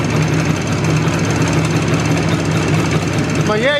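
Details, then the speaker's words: Izh Jupiter two-stroke twin with Kent pistons, cylinders bored to 0.2 mm clearance, pin offset toward the exhaust, fairly hot: sharp, regular knocking over an even idle and revs, not pinging; piston knock, which disappears under load. "цилиндр работают нормально достаточно равномерно но ток стучат причем именно не звенят а стучат"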